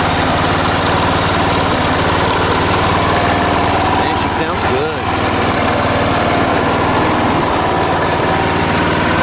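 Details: Late-1980s John Deere RX95 riding mower, after reconnecting the fuel line to the carb: loud, steady mid-pitched drone at a constant speed with no misses or stumbles; engine running healthy.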